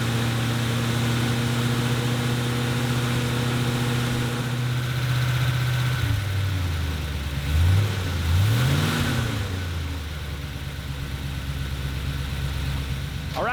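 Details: 1977 Ford F-250 460 V8, cold start for the initial break-in, timing 10° BTDC. Steady, even fast idle that settles lower after a couple of blips, with no knocks or misses: normal.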